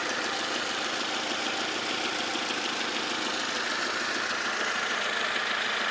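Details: Vectra C 2.2 SRi, 2003 plate: light, fairly quick top-end ticking, about three per second, over a steady idle; source not pinned down.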